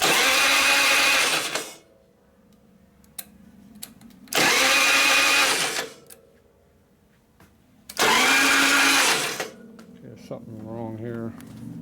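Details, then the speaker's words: 1999 80ci Evo Harley chopper after an ignition module change: three short bursts of high, free-spinning whir with no compression beats, and no spark. Starter Bendix not engaging is suspected, not confirmed. "is this even turning it doesn't sound sounds like the starter benix is not working"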